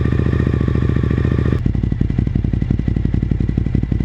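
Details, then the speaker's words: Suzuki SV1000S V-twin just after a Danmoto JISU muffler install: loud, deep, even, lumpy idle at about three pulses a second with no rattles, running healthy. "We'll see how it sounds real quick. Just start it up, make sure everything's good."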